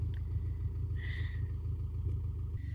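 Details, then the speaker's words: Subaru Forester rebuilt boxer engine at idle with headers only, no exhaust, about 750 rpm, oil pressure about 40: low, even open-header rumble with steady pulse, no knocks or misses; idles smoothly and sounds healthy. "So, we are about at idle now. This thing runs pretty good. We're about uh I would say a little over 500 RPM."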